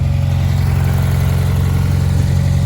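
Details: 1994 Honda Accord four-cylinder running after replacing distributor seals for an oil leak; strong, even low drone with no misses, ticks or knocks — normal running.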